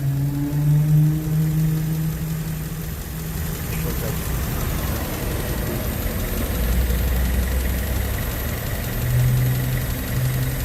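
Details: Honda Civic LX EG8 sedan with a D16Y1 VTEC engine, after a Blue Devil treatment for rod knock: steady low idle with an even beat and no knocking or tapping.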